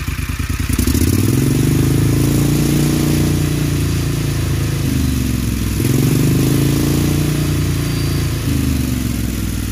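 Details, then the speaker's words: John Deere XUV 625i Gator, earlier rough running, during key-on self check with scope connected. Engine pulls up cleanly and holds an even, steady beat through gentle rev changes, no misses; already running smoother, normal. "we're gonna do our T on self check you notice how we're already running smoother"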